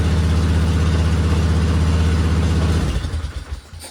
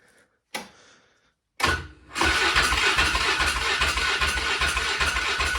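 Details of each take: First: 2000 Polaris Sportsman 500 6x6 ATV, revived after sitting two years: steady, even single-cylinder thrum at fast idle with no misses or knocks, then winds down; definitely running better, normal. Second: 2000 Polaris Sportsman 500 6x6 ATV, 918 miles, sat two years, in neutral: a couple of cranks, then it catches and runs rough about four seconds before dying. Spark is present, so fuel starvation.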